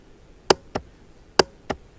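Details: 2006 Honda Rancher TRX350 ES ATV after battery and starter relay solenoid replacement: two pairs of sharp clicks about a second apart with no cranking; still clicks but won't turn the engine; starter motor suspected, not confirmed.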